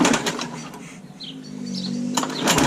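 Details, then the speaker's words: Rover Combat mower with new blades fitted, stone-cold start on choke: the small engine catches and settles into a steady, even buzz with no coughing or hunting; runs nicely, normal running. "Is running very nicely. So that's another one sorted, ready to go."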